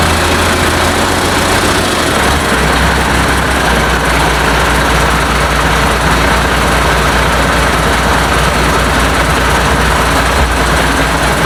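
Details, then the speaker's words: International DT466 diesel being fitted to a 1966 Ford F250, first startup, no muffler, oil pressure unchecked: a loud, even diesel clatter at steady idle with no knocks or misses, a healthy idle. "but anyways you see it running it runs really good uh don't know about oil pressure or anything like that i haven't hooked the gauge up to it um i'm pretty sure it's fine i don't hear any um knocks or anything"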